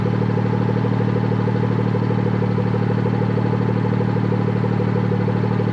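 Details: BMW F30 340i after repairing rattling exhaust valve with new clip, valve aligned by running in sport mode: steady even idle with smooth low pulse and no metallic rattle; exhaust sounds healthy.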